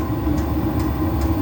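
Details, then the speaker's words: Diesel heater, earlier throwing error E-06 (fan not turning), reinstated and fired up with no parts fixed, possibly an intermittent fault: steady low fan and combustion rumble with a soft fuel-pump tick about every 0.4 s, burning normally. "Um, but it does seem as though the electronics at the moment are working. We just have to wait and see."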